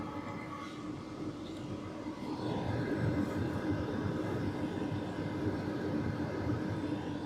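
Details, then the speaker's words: Sunster/SunChaser HTB1 diesel air heater, mic held right up to the fuel pump before the silent pump is fitted: steady even roar with no ticking from the pump, running normally. "So, I'm actually going to take the mic and hold it right up to it, and you'll see that there is absolutely no ticking sound."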